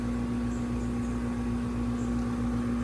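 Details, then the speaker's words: Trane R410A heat pump: steady compressor hum with low fan whoosh and faint pulsing, but no warm air output; technician suspects low refrigerant charge, leak search with dye. "but I hear the compressor running and I feel no warm air at all so"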